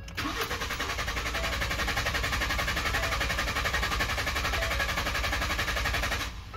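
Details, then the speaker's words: 2012 Ford F-150, intermittent crank no start with no codes; starter cranks steadily about six seconds, roughly four compression pulses a second, never catches; cause was a blown 20 amp fuse 27 powering the fuel pump relay. "The only thing I had to go on was it would crank, but not start."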